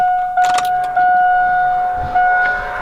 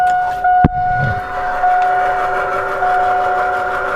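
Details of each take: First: AirDog fuel air separator lift pump, key on with the engine off, before filter replacement: a steady high whine at one pitch, very pronounced because the filters are clogged and need replacing. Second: AirDog fuel air separation lift pump after fitting new filters: after a sharp clack, steady high electric hum settles in, smooth and even with no surging; switched from the earlier abnormal sound to normal operation.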